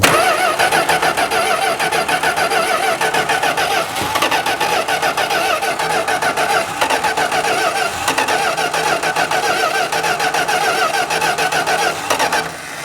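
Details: 1971 Plymouth Road Runner V8 after sitting, oil pressure just primed; steady rhythmic cranking about 3.5 turns a second with no firing; fuel pump diaphragm seems not to be pumping, cranks but won't start.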